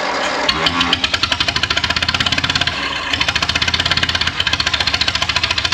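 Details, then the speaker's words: Grey Ferguson TEA20 tractor first start after sitting, on jumper leads with brake cleaner as starting aid: uneven lumpy chuffing with irregular gaps, misfiring on about two to two and a half cylinders, one cylinder apparently not working. "I reckon I had maybe I had at least two gone possibly two and a half but I think there was one that wasn't working but anyway that's a start"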